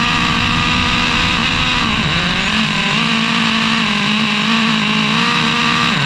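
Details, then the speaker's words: Traxxas Revo 3.3 nitro engine on first start after fitting a new THS Racing tuned pipe (stock header had cracked): high buzzy screech wavers and sags as revs change. No exhaust leaks seen; it sounded fairly bad, owner plans to richen it. "The engine fires up. There do not appear to be any exhaust leaks. I'm looking around the pipe right now, but of course, it sounded fairly bad."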